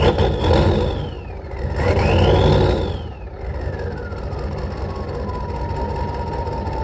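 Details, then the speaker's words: 1986 Ford F250 6.9 turbo diesel, 4x4, just started on ether after water-contaminated oil was replaced; no coolant, a little smoky. A couple of blips with turbo whistle climbing and falling, then a smooth, steady idle; runs good. Owner plans oil cooler seals. "it's a little smokey she's just smokey old girl but i got you runs good ellie ain't that good yeah anyway she's a freaking runner"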